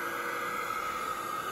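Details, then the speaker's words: $5 hair dryer in cardboard box with thermal switch bypassed, box at 240–284 degrees before the thermal fuse cuts out at 305: steady airy rush with thin high whine, sudden burst at end; overheating sound change. "Oh, that doesn't sound good at all. Totally changed sounds."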